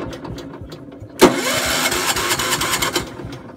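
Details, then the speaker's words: Gravely 432 with rebuilt Kohler K321, after carb cleaner sprayed in: starter whirs and grinds about two seconds, engine turning but never catching; owner suspects no spark, points possibly needing cleaning. "probably has no spark if it won't go off the carb cleaner probably got no spark probably the points need to be cleaned or something"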